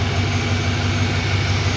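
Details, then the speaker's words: Farm-find Ford F-150 bought for $500, smog pump deleted, exhaust leak noted, coolant low: deep, even V8 burble at a steady idle with smooth, regular pulses and no knocks or misses; the engine sounds healthy. "listen to this truck just listen to this engine beautiful beautiful engine"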